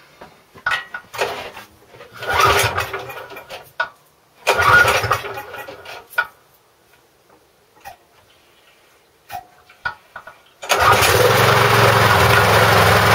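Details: McCulloch mower with Briggs & Stratton engine, a non-runner whose carboned spark plug was replaced and carb primed: a few rough pull-start attempts, then it catches into a steady, even drone with no misses; normal running.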